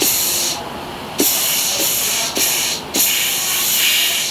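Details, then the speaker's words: 2020 Chevy Blazer 3.6 9T65 transmission with no forward or reverse gears, on the bench: air-checking a clutch piston gives sharp bursts of air hiss, each with a soft thump as it strokes. The piston applies and seals fine. "well this piston works all right hope i ain't getting no debri all up on my camera probably so that works"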